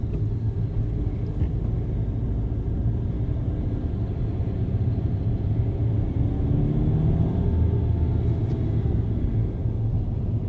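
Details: 2011 Skoda Superb: deep steady droning rumble with a rough grinding hum from the clutch area, like a concrete cutter's rotating disc; cause unclear.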